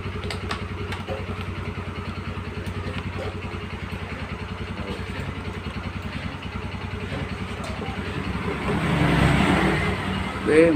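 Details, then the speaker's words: Yamaha Xeon scooter after repair for frequent stalling and hard starting (spark plug also replaced): steady even idle with quick exhaust pulses, then a clean rev, running properly. "sudah menyala dengan baik"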